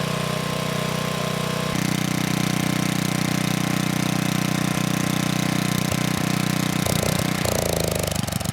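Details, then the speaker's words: 1987 VoltMaster 4,000 W generator, 8 hp Briggs & Stratton flathead, about 34 years old, bought with no compression; under 3,000 W load it makes 120 V near 60 Hz (107 V unloaded). Even, steady single-cylinder thump holding speed, no misses: healthy under load. "It was 107 volts without a load, and once I put that 3,000 watt load on, the voltage came right up to 120 volts, and we were pretty close to 60 hertz. So this thing is doing really well."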